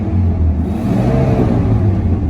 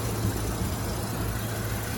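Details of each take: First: Dodge Ram with 8.0L V10 and 4-speed automatic: deep rumble rising and falling through two throttle blips with faint irregular pops; owner suspects holes in exhaust, not confirmed, exhaust work pending. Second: Dodge Ram 8.0L V10 idling: deep, steady, even rumble with no knocks or ticks, runs great; exhaust has slight popping from suspected holes, and only a valve cover gasket leak noted.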